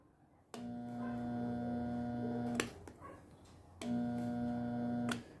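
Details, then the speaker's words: Pressure washer with lost pressure, switched on twice for about two seconds each: only a steady electrical hum, and the motor never turns or runs up; motor hums but won't start. "vocês puderam observar está emitindo somente um barulho mas não está ativando a lavadora"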